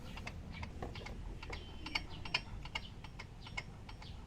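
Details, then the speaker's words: Mio Soul i 125 scooter engine running, reported hard starting when hot: sharp, uneven metallic ticks about two or three a second over a low rumble. Suspected metal-on-metal near the tensioner, not the magneto, and heard on forward rotation; valve clearance adjustment and CVT check planned. "parang dito sa may tensioner a kaya bakal sa bakal eh pagpabalik wala pero pag pa-forward aan"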